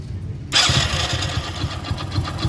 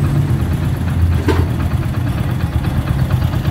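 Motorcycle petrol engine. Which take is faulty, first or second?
first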